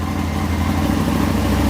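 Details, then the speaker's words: Aprilia motorcycle idling: idle speed rises and gets slightly louder as handlebars turn lock to lock, showing the throttle cable was adjusted too tight; backed off until idle no longer changes. "did you hear the idle speed raise so the idle speed rise that we've gone too far"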